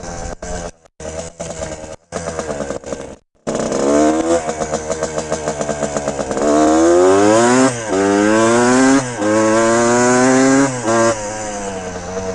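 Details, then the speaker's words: 1974 Suzuki TM125L Challenger 125cc two-stroke with later Suzuki RM engine internals: crisp revving through the gears after a few blips, pitch climbing cleanly, no misfire; healthy engine under load. "I absolutely love this bike. It rips. Absolutely rips."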